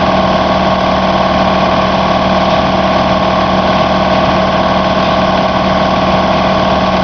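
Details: Home air compressor with a homemade condenser air dryer, started cold at 100 PSI and running to cut-off around 145 PSI in about 2 minutes. Loud, even hum with a steady pump beat about three per second and no knocks; running normally.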